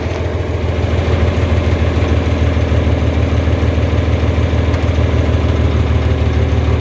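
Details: 4020 LP propane tractor idling on liquid only, vapor valve closed. Steady, even low idle thumping at about 200 beats a minute with no misses or knocks. A healthy engine.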